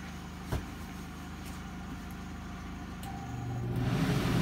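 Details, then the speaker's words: Predator 3500 inverter generator heard from inside Jayco trailer through open window as Dometic 15,000 BTU air conditioner switched on: muffled hum rising in level and pitch as load comes on; generator speeding up under load. "the window is open so you could hear the generator taking a load"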